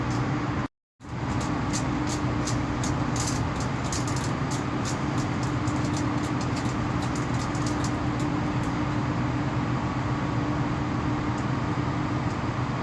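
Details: Outgoing cables from a low-voltage MCC give a steady loud hum with a buzzy overtone, attributed to cable-to-cable vibration and wrong cleats, with current leakage to ground and heating. Cable ties used for now, proper cleats to follow.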